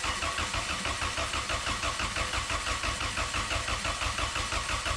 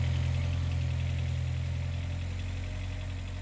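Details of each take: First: Turbo Honda Accord, ECU fuse unplugged so no fuel, exhaust off, oil line run into a jug to check oil pressure: starter turns it over at a regular rhythm for about eight seconds without catching; no oil came out, totally dry. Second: Idling 32-year-old engine in a turbo Accord, heard from underneath while running: deep steady hum with light quick clacking about three per second, upper head valve clatter; owner says head valves need replacing, never affected the engine.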